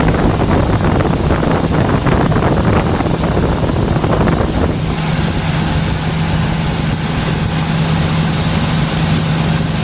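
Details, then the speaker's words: 1994 Toyota T100 pickup, comeback for misfire and raw fuel smell after a valve cover gasket job: with the ignition wires sprayed with water, a rough, uneven stumble for several seconds, then it settles to a steady hum. Spark plug wires arcing cause the misfire. "Anyways, so you could see how I can get that to act up and stumble. So it started, the misfire quickly went away, and it started operating correctly, and it started leaning out."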